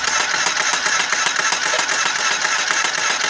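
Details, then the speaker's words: Z250 motorcycle: a rapid, fairly regular, heavy metallic knock in the engine; it began suddenly on the highway and the engine shut off after about 23 seconds; connecting rod (lower end) knock is suspected and the engine is being torn down. "en la carretera y de repente se escuchó un golpeteo muy fuerte en el motor como de la biela un golpe no saber gente de adónde pero tardó unos 23 segundos y se apagó"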